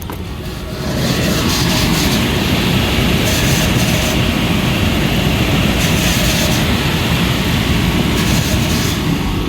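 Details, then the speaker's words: Cambridge direct-fired makeup air unit that had locked out on airflow, with its damper actuator out of adjustment. The burner lights and settles into a loud, harsh, surging roar that worsens on firing, and the belts sound poor. Flame is overfired and unstable. "a bur that thing's rocking and rolling man that's not a good flame somebody right there thing was rocking and rolling it got worse it seemed like when the burner fired"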